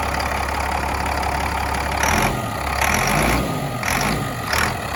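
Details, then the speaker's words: Cat 3126B diesel after HPOP (high-pressure oil pump) replacement, restart after the initial startup already cleared most misfiring and air: steady idle with a few surges in the upper clatter, no misfire stumble left; normal running after repair. "I did the initial startup, and it's got most of the misfiring and air out of the system. But I'll fire it up again here."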